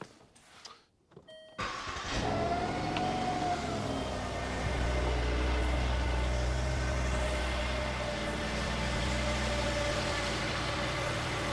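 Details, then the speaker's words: 2009 Land Rover LR2, 3.2 I6, 198,000 miles, first start after reassembly with the bolt Loctited (alternator suspected bad): short crank, clean catch, smooth steady idle, no bang or smoke. Normal start. "All right, well, no catastrophic bang and no smoke out of the back."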